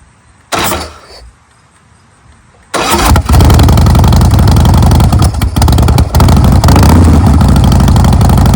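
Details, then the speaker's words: 2008 Big Dog Ridgeback motorcycle, S&S V-twin, 6-speed, 2,135 miles, Supertrapp pipes, cleaned carburetor and new battery; unstarted for some time, started cold on choke: brief crank and stumble, then catches and revs strongly with an even loud beat. Healthy cold start. "So, we're going to try to start this up. I'm going to put the choke on over here. I'm going to wiggle it a little bit, get some gas in it, and see what happens. This has not been started in some time."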